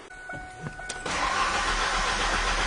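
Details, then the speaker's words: 1997 Ford Ranger cranking with fuel pressure gauge attached: starter whirs about a second before catching, no initial fuel pressure, then rough uneven idle as pressure slowly builds; low fuel pressure, owner suspects bad check valve. "Yeah, no fuel pressure. There, it's building up a little bit. And again, the engine is just not working very well, but we do have fuel pressure now."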